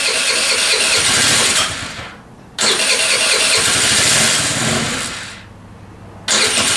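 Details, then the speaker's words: Scooter's first start after prep and oil change, fresh premium fuel, key on, brake held, throttle twisted to help: two-second starter bursts with short pauses, not catching yet, normal long crank while fuel primes the lines. "What that's doing is just pumping the fuel through the lines. You can twist the throttle a couple of times to help get that fuel down through the lines."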